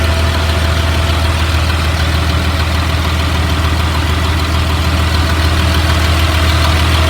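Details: 2004 Blue Bird All American 72-passenger school bus diesel at idle: steady, even low rumble with no knocks, misses or surging; idles smoothly and sounds healthy, automatic transmission engages.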